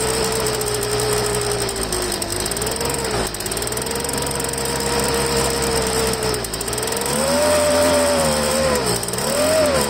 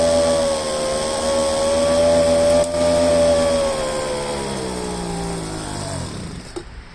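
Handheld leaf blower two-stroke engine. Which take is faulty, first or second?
first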